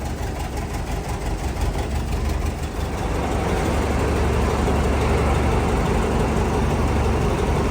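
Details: MTZ 1025 tractor diesel, hard to start in the cold on one weak battery, finally started with a jump starter-charger: a deep, even chug at steady low idle that settles a little louder and smoother after a few seconds, running fine.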